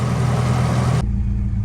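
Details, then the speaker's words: 1991 Nissan 240SX petrol engine warming up after fuel system work: low, uneven, lumpy idle from an idle misfire; the engine also breaks up at around 2000 rpm. "so I'm still having this idle misfire I'm sure you guys could probably see it or hear it but it starts to break up at 2000ish"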